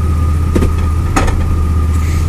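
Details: 2002 Chevy Blazer at idle, which had leaked gear oil and has long had driveline vibration: shifting out of reverse into drive gives a couple of sharp metallic clanks and the car jerks; hard engagement, cause unclear.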